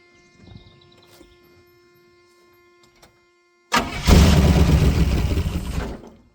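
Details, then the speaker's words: Buick 350 V8 restarted after it blew up again, being run to pull in water; it catches at once with no cough or stumble and settles into a strong, steady run. Healthy start. "She runs. I'm uh I'm not going to change that at all. I didn't cough or anything and it fired right up."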